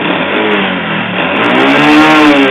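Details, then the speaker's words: Motorcycle engine run out of oil, refilled but still rough and smoking white, mic placed near the engine: rattly kletek-kletek clatter rising with the revs, piston knock from a scored piston. "Ada bunyi kletek-kletek dan ketika digas di sini ngasap putih."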